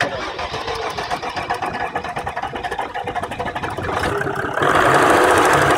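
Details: Jeep WK CRD diesel: clatters into life with a steady rapid knock, roughly four per second, over the idle as it settles; engine knock.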